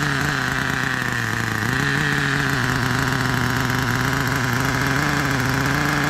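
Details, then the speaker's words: Old 1997 Kyosho nitro RC car engine with a cooling fan, throttle linkage not fully connected: high-pitched buzzing idle with a brief throttle blip, slightly soft and burbly; mixture super rich, so it was leaned out a little. "super rich i'm gonna lean it out okay i leaned it out a little"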